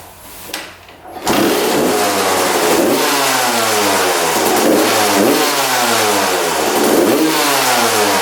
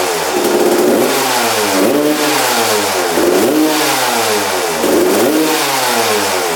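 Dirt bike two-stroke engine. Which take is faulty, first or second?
first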